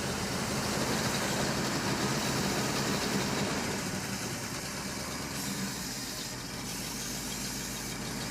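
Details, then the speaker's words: V8 during diagnosis before vacuum-leak and compression tests: steady, even idle with a smooth low rumble and no misses, knocks or ticks. It sounds all right; shut off so it doesn't get too hot. "so far so good. I'm going to say it's good. Yeah, I think it's all right."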